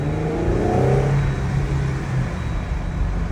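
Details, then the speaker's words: Jeep Gladiator Rubicon (JT) after installing a Bravo snorkel routed from the airbox through the cowl; the engine revs with a deep airy intake whoosh rising and falling with throttle, smooth and steady: normal snorkel intake noise. "Well, it definitely makes snorkeling noises now."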